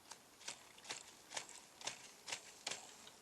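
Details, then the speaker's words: VW T25 clutch job: the clutch release bearing, turned slowly by hand with the gearbox out, gives dry, gritty clicks about once a second. It moves but sounds quite worn, so it is being replaced with the new bearing from the clutch kit. "sounds quite worn, and you can see the way around here. So in the kit you get a brand new one."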